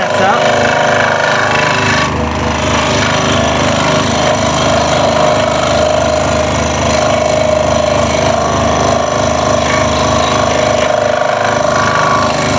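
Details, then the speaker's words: Scroll saw cutting a jigsaw puzzle, with the workpiece guided from behind the blade: a loud, fast rattling hammer rides over the saw's drone. The workpiece is slapping the saw table on each stroke. "that noise is coming from the work piece just hitting onto the bed or the table of the scroll"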